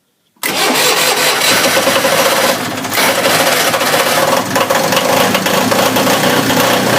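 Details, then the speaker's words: Onan DJB 6 kW diesel generator with a new muffler, cold start in a cold shed at about 48°F with the preheat switch held: it catches within half a second and settles straight into a loud, even diesel clatter. Clean cold start. "it's actually kind of cold in here I'm I'm shivering it's kind of pretty cold in this uh shed so we'll see how well it starts up"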